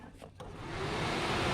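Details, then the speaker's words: 1991 Fiat Panda 4x4 replacement radiator cooling fan with new connectors, ignition on: soft rush of air builds within half a second and holds steady; fan runs evenly, blowing from outside into the car, correct direction. "feel if its is blowing? - yes it blows yes he blows into the car, he blows from outside to the inside of the car"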